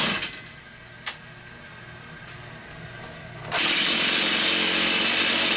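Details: Stihl 028 AV Super with a new piston, said to have low compression: low quiet idle then snaps up to a clean, steady full-throttle scream with no stumbling; runs healthy.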